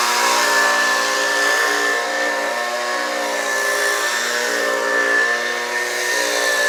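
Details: Homelite UT09250 string trimmer two-stroke after carburetor replacement, warmed up: crisp steady buzz rising and falling smoothly with throttle, no misses; runs properly, though it could use a little tuning to wind out more.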